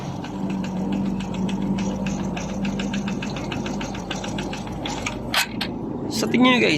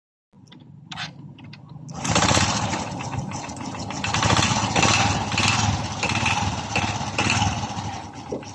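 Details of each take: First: Honda RS 125 Fi single-cylinder idling before teardown, owner reported a knocking noise: sharp even tapping about four to five per second from the lower engine; connecting rod or piston slap suspected, later confirmed piston slap. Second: Honda RS 125 Fi single at idle after rebore and reassembly with air cleaner and exhaust refitted: quick, even idle with crisp exhaust beat, no knocking or slapping; sounds brand new again after confirmed piston slap.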